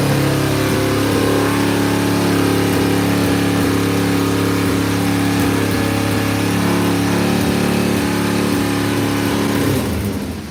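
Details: Motorcycle started cold in snow, earlier seeming to run on one cylinder on high choke: now settles into an even, steady idle with a regular firing beat, no misses or stumbles; running perfect, purring like a kitten.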